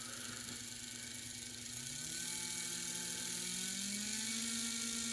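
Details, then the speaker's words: HO scale AHM Rivarossi Cab Forward locomotive gearbox after a thrust-washer fix, run from 2/3 throttle up through 18 and 24 volts: smooth whir rising in pitch with voltage, no grinding or rattle; motor and gears run normally. "You listen to it at 18 volts? Well, how about 24 volts? If 18 volts isn't good enough,"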